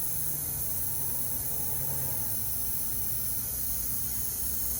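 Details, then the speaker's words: Walk-in box evaporator coil, converting from R-22 to R404a, being checked before install: a strong, even hiss runs start to finish as factory nitrogen escapes, so the coil held its holding charge and is tight. "first thing i want to do is i want to make sure this thing's got a nitrogen charge in it for the factory so we know the coil is good i hear that we got a nice tight"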